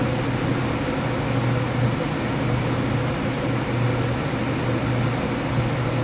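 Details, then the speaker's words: Lian-Li O11D Mini PC case fans (XPG Vento, curve capped at 1900rpm) ramping up under Cinebench load, microphone by case: loud howling with fixed low hum and thin whistle, air forced through restrictive top-panel slots; quieter when rpm drops. "now as you can hear the fan noise went up if i am to stop the semi bench right now i hope you can actually hear the hounding lines went down so when the rpm went down right it's not so noisy it's only when it actually ramped up there is a very loud howling noise"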